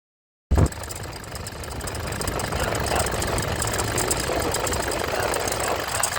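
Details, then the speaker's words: Toyota Vigo/Fortuner common-rail diesel idling with a fast, uneven chatter from the driver-side front of the engine near the air box. The alternator freewheel pulley is worn, typically after about 100,000 km. "ถ้าเสียงดังมาจากหน้าเครื่องฝั่งคนขับแถวๆกองอากาศครับตัวนี้ฐ่านเบื้องต้นเลยครับลูกลอกไดชาร์จตัวนี้ครับ"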